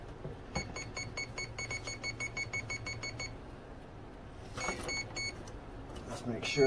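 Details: Delta Force 35 mono hull RC boat, OSE Offshore Electrics 150 ESC (up to 6S), 4070 motor: run of short high beeps at switch-on, then a brief second set; normal ESC arming tones.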